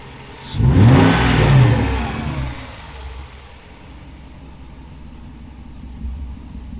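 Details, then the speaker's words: Mercedes M119 V8 restarted with just the cats on, after nearly a year of installation work. A quick blip climbs cleanly and drops back to a steady, even idle. Oil pressure is present, with no ticking or abnormal noises: normal revving. "got oil pressure sounds great no ticky no abnormal noises"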